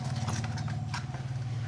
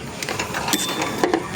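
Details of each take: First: Mitsubishi Adventure 4D56 that would not crank (only clicked), starter motor removed and reassembled with armature and carbon brushes, now bench-tested: steady motor hum for about two seconds, then sharp clicks as it stops; the starter spins freely. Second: Mitsubishi Adventure 4D56 won't crank, only clicks, though dash lights work; a jumper wire from battery to starter just sparks with sharp crackling snaps and no starter whir, confirming a starter/solenoid fault; starter removed.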